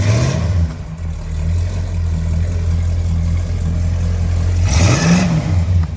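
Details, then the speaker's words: 1968 Dodge Monaco 500 with 440 Magnum V8 on a new TTI exhaust with H-pipe and Dynomax street turbo mufflers: deep, lumpy idle, then one quick rev blip that climbs and falls back cleanly. Healthy. "All right, we finally got it started. Listen to this thing purr."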